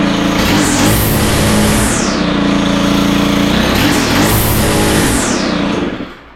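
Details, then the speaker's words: Stihl FS111R line trimmer after clutch repair: revs climb hard then sag back, twice, won't hold full throttle; lean high-speed mixture on the carburetor, needing adjustment with hexagon tool. "the symptoms are seeing where it doesn't want to run Full Throttle typically indicate that it's a little lean on the top end"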